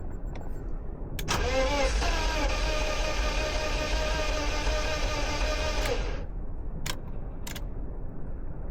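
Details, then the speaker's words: BMW E36 pulled from a field, first attempt to run: starter spins fast and even at about four beats a second with no firing, sounding like no compression, like a free-spinning engine. "This sounds like a car with no compression."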